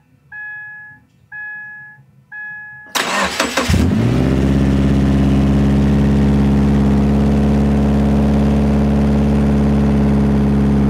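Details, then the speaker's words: Subaru FB20 during front pipe and high-flow 200-cell cat replacement, run with resonator and tailpipe removed: starter cranks, engine settles into a deep, loud, throaty droning idle; loud open exhaust. "Oo, that actually sounds really, really, really, really throaty. It sounded pretty good, too. Right. It didn't sound that bad without the exhaust."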